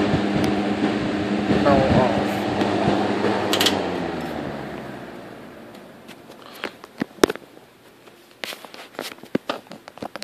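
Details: 1958 General Electric twin window/box fan, found in trash, cabinet repainted, dry-rotted blade part fixed with JB Weld: steady low hum with soft even airy whoosh that later fades, no rubbing or ticking; normal smooth running.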